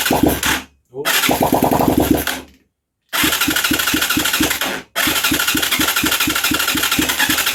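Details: Huaniao HN125 Chinese 125 cc motorcycle after Easy Start is sprayed into the carb and barrel: bursts of rapid cranking with sharp popping fires that die after a few seconds each time; catches but won't keep running.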